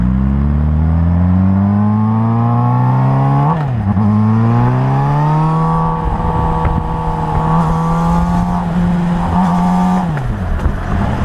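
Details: Suzuki GSR 600 motorcycle: engine revs up and a harsh metallic rattle rides over it each time the throttle opens; cause unknown.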